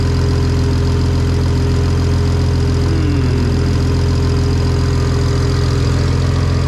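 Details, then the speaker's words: BMW N54 335i single-turbo conversion, first start: rough loud idle with fast sharp ticking puff on the exhaust note; turbo not sealed onto the manifold, exhaust leaking at that joint, also leaking coolant. "Okay, so we have got a major problem. The turbo is not sealed onto the manifold."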